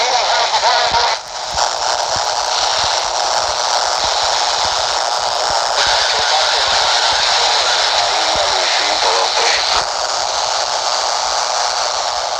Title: Wideband Noise RFI 26 MHz / 27 MHz - CB DX Channel 5 / 9 - 27.015 MHz 27.065 MHz Buzzing Noise QRM